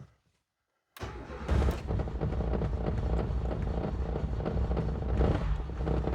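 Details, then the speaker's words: Renault 19 GTS Chamade 1.4 Energy, first start after restoration work, out of gear, no coolant in engine: catches after a silent pause and settles into a steady, even run on full choke, revving clean with no smoke, misses or knocks; normal start. "oh wow is that her taking over that it choke oh man she revs lovely and clean now I'm very conscious that there is no coolant in this but there's no smoke she sounds great"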